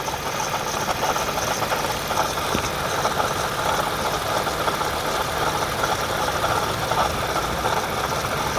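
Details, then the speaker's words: 2010 Toyota Camry XLE at idle after driving: steady rough whirring grind above the engine note, worst yet, with a coolant smell; failing water pump. "now you could hear it i went around i did some errands and now i'm back and now you can hear it listen that's actually the worst it's ever been"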